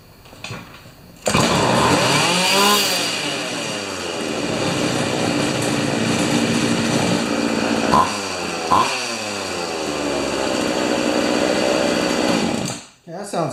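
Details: Pioneer Partner 500 two-stroke chainsaw after idle turned down through the handle: steady buzz, a couple of quick blips, then a smooth even idle; sounds fine, normal idle.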